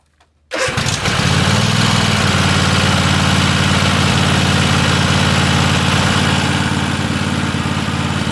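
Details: Free Weed Eater tractor, Tecumseh TVT691 two-cylinder, after oiling cylinders and oil and filter change, first run on gas: starts straight away and settles into an even steady idle about 214 beats per minute, no misses. Normal idle.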